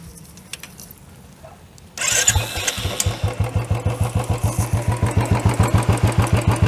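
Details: Royal Enfield BS6 single-cylinder carbureted motorcycle during idle tuning: fires up and settles into an even, steady thump about four beats a second; clean, healthy normal idle.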